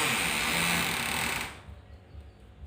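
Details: Fridge door forced open with a loud, rasping creak; the door jams and won't open properly, from a rusted, dirty hinge pin binding in its bush, before hinge repair.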